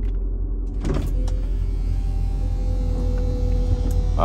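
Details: Mercedes SL55 R230 vario roof hydraulic pump raising the roll bar after the roof slowed and stuck: steady low pump hum with a rising whine near the end; this time it worked, owner suspects low fluid from a leak caused the earlier failure.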